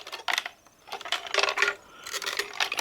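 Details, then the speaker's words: Shaking the removed fuel pump module from a hard-starting 2006 Trailblazer gives bursts of light tinny clicking; something small is loose inside. A plug then falls out, suspected as the cause of the hard starting. "but i've already noticed there's something loose in here hear that"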